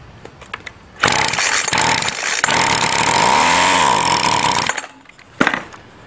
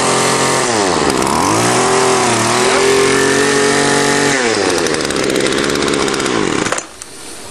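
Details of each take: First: Two-stroke weedeater string trimmer with newly replaced fuel line, given a tiny shot of gas to test the motor: a pull, then a raspy high buzz for about four seconds that sags and cuts out; starts and dies, motor is good. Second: Two-stroke weedeater string trimmer after taking the carburetor apart and cleaning its varnished strainer screen: loud buzz revs up, drops and rises cleanly with no stumble or bogging, then idles; running right.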